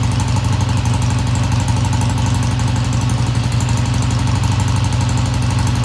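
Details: 1971 Triumph T120 twin, first cold start after cleaning pilot jets: steady, even low idle about four beats a second, no knocks or misses; idle fast at first then kicked down, sounds healthy, no tach fitted.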